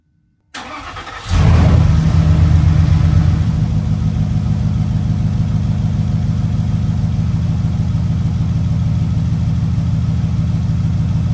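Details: Porsche engine with code P0303 cranks, catches, then settles into a low, uneven, stumbling idle. Cylinder 3 misfire, with components swapped between cylinders to find the fault.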